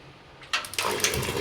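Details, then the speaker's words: Gas geyser that made loud banging backfires, after cleaning and refitting the gasket: soft click, burner lights with a clean whoosh and settles into a smooth even roar, no puffing, bangs or flame escaping; working normally. "बिल्कुल बहुत अच्छी तरह से चल रहा है। इसमें कोई आवाज नहीं आ रही है एक्स्ट्रा ना कोई भबक मार रहा है ना कोई लुक कोई गीजर से बाहर आ रही है।"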